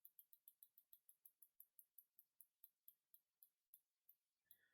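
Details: Cube bicycle with an indexing problem, after adjusting cable tension: crisp, evenly spaced clicks, about four a second, as the derailleur steps cleanly through the gears with no grinding or skipping.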